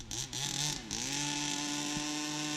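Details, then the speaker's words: Rebuilt 29cc two-stroke in a Baja 5B RC car, driven on frozen ground: revs dip and sweep back up quickly, then hold a strong, steady high buzz under load, pulling cleanly with punch and no stumble; normal. "Car is pulling nice. Ooh, it's got some punch, man."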